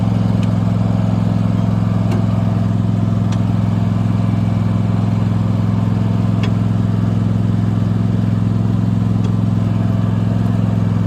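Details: Abandoned Cub Cadet mower, earlier poorly handled by a dealership, test run: steady, even low drone at constant speed with no knocks, misses or rattles; engine runs smoothly and healthy.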